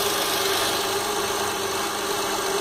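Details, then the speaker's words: 2003 Acura MDX after replacing the worn power steering reservoir O-ring that caused air bubbles and leaks, engine running while steering left and right: an even hum with no whine. The earlier pump noise is gone and the pump sounds normal. "I don't hear that noise that I was hearing it before from the pump. So I'm inside the vehicle, steering left and right. It's pretty smooth, no sound."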